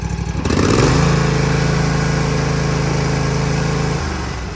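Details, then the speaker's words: Toro TimeCutter 50 in mower, Kawasaki FR691 engine, after valve adjustment: starts and holds a smooth steady idle with no valve clatter or ticking; previous clacking gone, normal idle. "Oh yeah, way better. No noise. She's quiet as a church mouse now."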